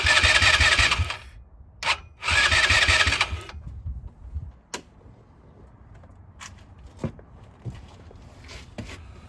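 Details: 2010 Polaris Ranger RZR 170, neglected after sitting a few years: two one-second bursts of steady cranking that never catch; spark confirmed, fuel not reaching the carburetor, carb to be removed and cleaned.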